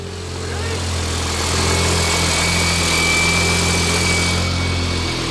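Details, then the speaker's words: Turbo BMW E30 after an injector replacement, no coolant in it: an even, settled idle with a faint turbo whistle and no stumble or shake. Normal idle, never ran this smooth before. "that sounds pretty it's never ran this smooth i told you i just needed the injector"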